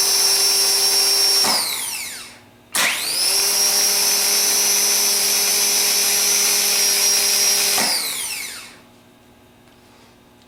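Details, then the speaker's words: Rebuilt Ford PMGR starter bench-tested on the ground with jumper cables to a battery, run to wind out: rising whine to a smooth steady high pitch, then clean wind-down; three even runs, healthy free spin. "Then we go ahead and do a couple of runs so you can hear it wind out and hear what the sound is."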